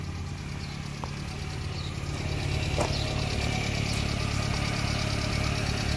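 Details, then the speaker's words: Subaru Sambar Hicab (KS4/KS3 kei truck) small petrol engine idling with a slightly uneven pulse and faint airy hiss; vacuum leak, fixed by reversing the vacuum lines. "I can hear that vacuum leak so to fix that problem just reverse these lines here they pull off and then they push back off cool"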